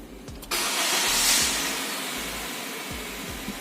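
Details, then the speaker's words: 2016 Honda Mobilio E VTEC after EMS service, injector correctly reinstalled and DTCs erased: starter whirs briefly, engine catches and settles into a steady, even idle with no hunting or misfiring cylinder. MIL off; normal idle. "Lalu bisa didengarkan juga suara engine di sini sudah stabil, tidak naik turun dan tidak terjadi pincang pada salah satu silindernya karena injektor sudah terpasang dengan baik dan benar."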